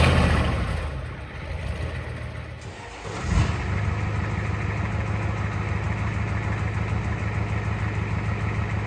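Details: 1986 Ford F-150 XLT, first start after swapping in a 7.3L IDI diesel from a box truck, on a temporary straight-pipe exhaust: it cranks, catches after a few seconds, then settles into a steady, even low idle clatter with no misses, so it is healthy.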